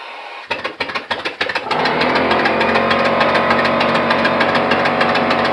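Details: Steam/air engine test run on compressed air at about 30-35 psi, intake gasket air leak present: irregular puffs settle into a fast even chuff about three beats a second; running steadily.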